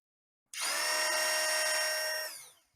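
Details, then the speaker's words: Kawasaki KLX 250/300 starter motor removed and free-run on the bench after it stopped working off-road: clean steady high whine about two seconds, then smooth spin-down without grinding; starter itself normal, starter shaft gears found slightly worn. "My idea now is basically just to let the starter run and listen to see if it's turning"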